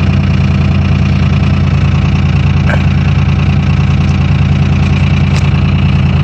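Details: 2001 Dodge Cummins diesel, cold start at -4 °F with grid heaters, running three-cylinder mode: loud, steady low rumble and even clatter at a raised idle while warming up, putting out smoke; normal cold high idle.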